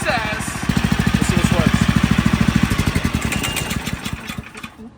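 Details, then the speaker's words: Restored go-kart with newly fitted 459cc motor, first startup: small single fires and catches into quick even chuffing about three beats a second, then drops away; spins the right way; healthy start. "let me start the motor fighting back okay first start up first startup let's see it spins the right way"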